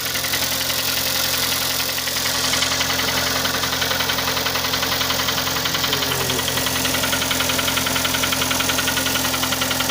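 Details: Kia Sportage 3 engine at smooth idle with a steady light knock about two per second; knock louder cold, quieter warm, heard at low road speeds, gone at 60-90 km/h, returns on re-acceleration until cruising speed; cause not found.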